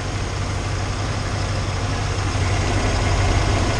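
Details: 1993 Ford F-150 5.0L V8, 88,000 miles, after replacing the harmonic balancer that caused severe vibration: steady low burble with even firing, no shake or lumpy throb; smooth healthy idle.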